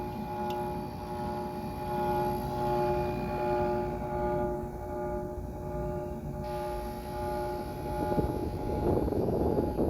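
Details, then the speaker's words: 1989 Carrier window AC, 6,200 BTU, just picked up and tested, cooling well: steady humming drone with a faint whirl on top; compressor whirling noise, owner suspects the compressor mounts need work. "The compressor mounts might need to be worked on. You can hear it going, make that noise, that whirling sound."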